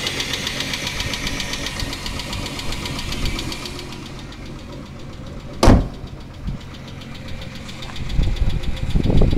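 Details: Chrysler 300M 3.5L petrol V6 idling with a faint, uneven knock under its low rumble; cause unclear, engine knocking at idle.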